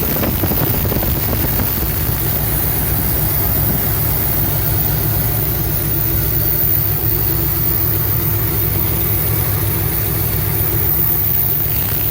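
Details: 1975 Cadillac Fleetwood V8 idling with valve covers off after about 5 minutes of running, oil coming up to the top end; low, even, steady rumble with no knocks or stumbles; normal idle, though oil seeps over onto the headers causing smoke.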